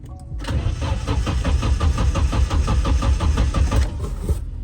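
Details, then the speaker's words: Nissan S13 on the battery from his S14, spark confirmed, clutch safety switch pressed: the starter spins the engine at a steady three-per-second chug for several seconds but it never fires. The owner suspects the fuel pump isn't priming. "all right so I did have a crank no start problem I believe that the fuel pump isn't priming because I don't hear a prime"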